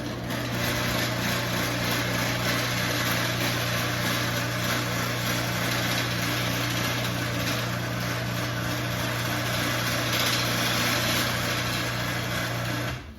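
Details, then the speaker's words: AccessMaster M885 chain-drive garage door opener running up without the door attached: steady motor hum with loose uneven trolley rattle throughout; opener also coasts past its limits, owner suspects the board. "And it's kind of an unfair testament to how loud it is, just because, of course, the trolley is rattling a bunch."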